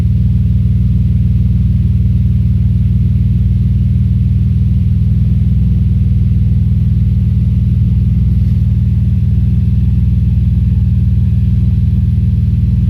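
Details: Audi S4 B5: deep, lumpy exhaust pulse at a steady beat with an uneven, stumbling undertone; engine misfiring on a cylinder.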